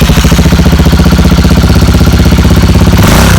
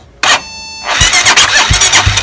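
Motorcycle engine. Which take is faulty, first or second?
first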